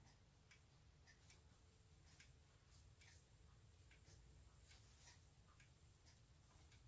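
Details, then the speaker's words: Hermle 451-050H floor clock mechanism after the second beat adjustment, error down from 80%: soft ticks with slightly uneven tick-tock spacing, pendulum impulse still longer on one side, still a little out of beat. "it sounds a whole lot better than what it did when it's 80 error but still isn't quite far enough the pendulum swing and impulse is still longer on this side than it is the"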